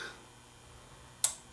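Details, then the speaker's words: Denon AVR2307 AV receiver switched on via master power switch: quiet hum, then one sharp relay click as it shuts down with blinking red standby light; protection shutdown, possibly a failed output transistor, not confirmed. "and it shuts off so I turned to get it on it would light up AV receiver and then it shuts off with a flashing standby light which is indicating the it's gone into shut down mode that something is being detected"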